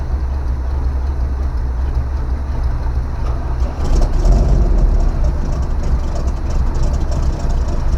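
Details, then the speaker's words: 1970 Chevy C20 dump truck running after sitting in a field, coolant circulating: a low, even V8 idle rumble with a mild exhaust burble and a brief bump. It sounds healthy and quiet compared with a tow truck on the same exhaust. "I mean this thing is quiet compared to my tow truck"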